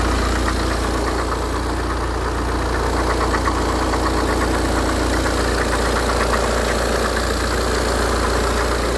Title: Bruit moteur bmw 118d de 2008